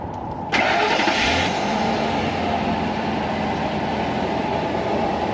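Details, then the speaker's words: Truck engine after replacing MAF and O2 sensors to fix P0171/P0174 lean codes: catches first try, brief flare, then smooth even idle with no stumble or hunting; normal start and idle. "oh all right sounds good look over here okay it is running nice and smoothly"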